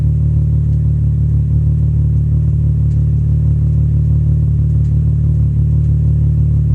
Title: VR6 slight rough idle